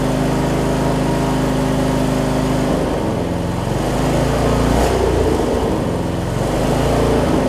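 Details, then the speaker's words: John Deere 125 rider with a 14.5hp MTD single-cylinder swapped in for a blown 20hp Briggs V-twin, 868 hours: thump wanders and surges; governor suspected out of adjustment. "almost sounds like the governor's a little out of whack on sorts of cars but again 868 hours"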